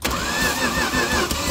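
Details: 1965 Dodge A100 Camp Wagon, sitting since the 1990s, cold, first key start after filter change and oiled cylinders, bad throttle linkage: starter churns the engine evenly but it never fires; cranking without starting, engine not seized.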